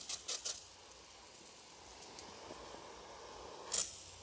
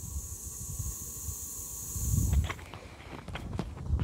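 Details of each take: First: Ronseal Precision Finish Fence Sprayer, pump-pressurised, spitting uneven bursts of hiss instead of steady spray; splattering means paint level low and tank needs topping up. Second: Ronseal Precision Finish Fence Sprayer, microphone next to the release valve after extra pumping: steady high-pitched hiss showing the tank is at working pressure, normal.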